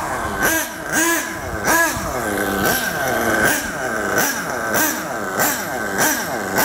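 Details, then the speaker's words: Nitro RC car engine with the low-speed needle set very rich: short throttle blips rise and sag lazily with a muffled, blubbery note, lots of blue smoke, almost no acceleration; over-rich low-speed mixture. "listen to that engine totally different sound let's wishing it some more listen to that very rich setting lots of smoke and pretty much no acceleration"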